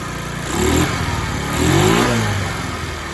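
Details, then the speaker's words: Free discarded TaoTao 50 scooter, revived with carburetor and throttle linkage not yet dialed in: surges and sags twice in three seconds, needs throttle blips to stay running; rough, unsteady idle. "So like I said, I still got to tinker with the throttle linkage a little bit and get the carburetor dialed in a little bit, but watch this. Got to baby the throttle a little bit because she doesn't want to stay running."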